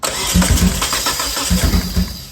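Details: 1997 Eclipse GSX, cranked while testing spark on cylinder 4: steady low chug that never catches; cylinders 1 and 4 have spark while 2 and 3 show none, a crank-no-start.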